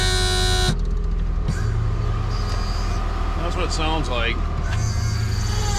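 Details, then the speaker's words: 2005 PT Cruiser convertible, top struggling to move, hydraulic reservoir found empty: steady low pump motor hum, groaning, with creaks and squeaks as the top moves; pump straining from low hydraulic fluid. "mean you can tell the pump is the motor is working but it's just really kind of growing and it's really struggling to move up or down"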